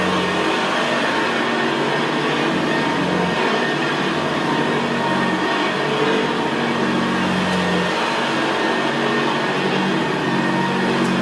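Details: 1975 Hoover Senior Ranger U4002 vintage upright vacuum cleaner on carpet: steady, very quiet motor hum with the low gravelly brushroll growl typical of the Ranger; normal healthy running.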